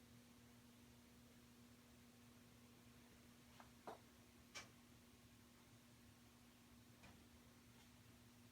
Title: Hissing sound from water heater